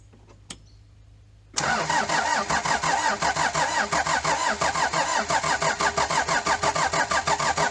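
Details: Daihatsu Fourtrak pickup turbo diesel first start after engine swap due to blown head gasket, new clutch: brief crank, catches and settles to an even clatter about three beats a second; starts and runs fine.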